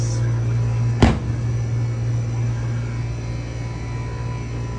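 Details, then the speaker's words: Ice machine after repair, one of a Hoshizaki and a Scotsman: steady low compressor hum with one dull thump early, then an even run. It has dropped ice loads and is cycling and making ice normally. "You can hear she's running again, and we are still bangarang and ice."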